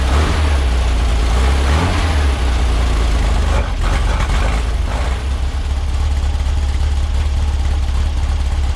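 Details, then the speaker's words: Weak cranking: a VW 21-window bus, cold-natured and hard to start in cold weather, has sat unused in the shop for about a month. On an almost 3-year-old NOCO GB40 lithium jump pack, the starter turns sluggishly and unevenly, then the engine catches and settles to a steady low rumble. "It was cranking a little weak. I'll admit that's not cranking over quite as strong as you'd want it to, but it got the job done."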